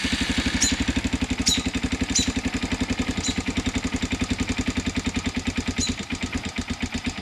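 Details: Youth 110cc Chinese ATV (model 3050B), first start after rebuild; it had run out of oil and seized the crankshaft, and the head was rebuilt. Small single starts and idles at an even, steady putter, no knocks or misses, dripping a little oil.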